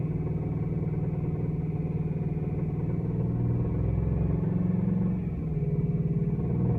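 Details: Engine running after VAC bearings installation: low-pitched knocking about three times a second; owner suspects rod bearing noise, not confirmed.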